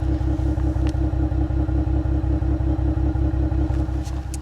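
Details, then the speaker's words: 2025 Ram 1500 Rebel twin-turbo inline-6 SST, 2,500 miles, listened at the exhaust: idle thumps with a repeating stumble, about 2.5 beats a second; intermittent misfire now solid, no check engine light. "right now solid misfire like it is not stopped check engine light's not even on it's not it's it's not on but you come back here damn thing is still misfiring like a son of gun"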